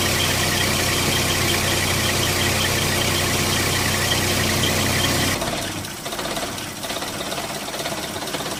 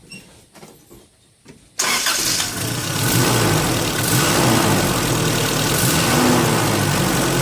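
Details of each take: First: Engine that ran rough after a mass air flow sensor cleaning: idle lopes unevenly with stumbles and dips before dropping away; rough idle, cause unconfirmed. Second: Engine running smoothly after a MAF sensor cleaning caused problems and throttle body work followed (throttle body spray, degreaser into intake pipes); even run with a light turbine-like hiss of air through intake and exhaust, sounding healthy.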